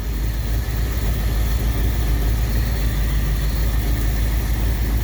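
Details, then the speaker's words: 1959 Ford Galaxie Fairlane 500 V8, off the road 14 years, running on gas fed by an auxiliary electric pump: deep, even, smooth idle with no knocks or misses; timing may be slightly off; accelerator pump not working, fuel pump suspected bad. "Look at that. She is idling. Yep. Timing may be off a little bit."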